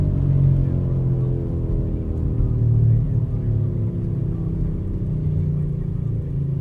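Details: 2004 Buick Rendezvous cabin at road speed: heavy, steady low drone/rumble while driving that only goes away when the wheel is turned left; source not pinned down.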